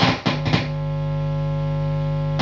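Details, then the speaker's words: Tone King Falcon tube guitar amp: steady harsh low mains hum and buzz, crackling as the tone pot loses chassis ground when unscrewed; fixed by filing the chassis contact so the pot grounds. "As soon as I start to unscrew this tone pot and it's losing its ground connection, the amp hums and buzzes. And when this thing is loose, it's crackling because it's getting a ground connection off and on, but hear that buzz?"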